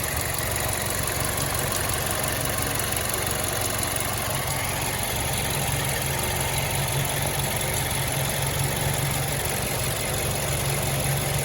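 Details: 2011 MazdaSpeed 3 at idle: light, fairly quick steady tick on the passenger side from the belt drive; owner suspects the idler pulley, which shows slight side-to-side play while running. Not confirmed.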